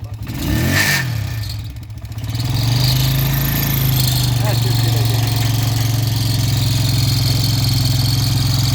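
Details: Loader rickshaw engine starting: catches then runs evenly with a fast steady tick about four per second; mechanical tappet problem inside the engine, oil change advised.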